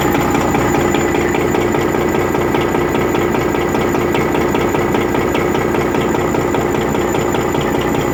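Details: Rebuilt Detroit Series 60 diesel idling with a steady, sharp knock about 150 a minute; one injector was adjusted at a lower rate and is knocking.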